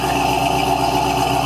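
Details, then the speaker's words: 1970 Cadillac Eldorado carbureted V8 on cold start, 3-step carburetor still on choke: steady, even fast idle with no knocks or misses; high idle because the engine is cold, normal cold fast idle. "It's still on the high idle because the engine's still cold. The choke hasn't come off yet."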